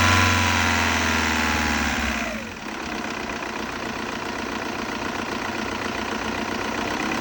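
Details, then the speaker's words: First start after cleaning and refitting the EGR valve on a 2002 VW Jetta 1.9 TDI diesel: brief crank, then it catches into an even, quick diesel clatter with no misses; running good, normal idle. "kill it she's running good nice"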